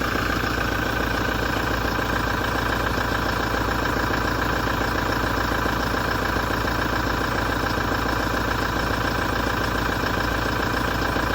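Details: 2017 Toyota diesel idling after a major service with a steady rapid knock, about three or four a second, over a metallic rattling, grinding vibration.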